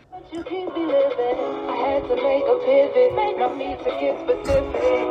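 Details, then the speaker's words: 1984 SMURF twin-speaker transistor radio after battery-clip de-rusting and nickel plating, external speakers plugged in, tuned to AM: clean steady music, even volume, no crackle, hiss bursts or dropouts; AM reception working properly. "I set this in AM station let's adjust the volume so we hear how it's performing"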